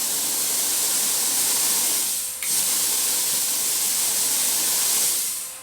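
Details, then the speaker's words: Brand-new Viv Arc plasma cutter at 60 psi air: steady hard hiss of air with one faint snap and no arc crackle after the electrode gap was checked. No pilot arc, only air flow. "See that, but it's still not giving us pilot arc, so I thought I might shorten the gap a bit or make it a bit wider and we'll see what happens."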